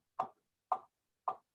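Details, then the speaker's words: Austin-Healey Sprite at about 5–10 mph, three sharp evenly spaced knocks about half a second apart, constant at low rpm; loud driveline-type knock, source unknown, cracked crankshaft considered but doubted. "it's a constant knocking. Yeah, I mean, anything to be that loud, it would have to be a crankshaft is split in two."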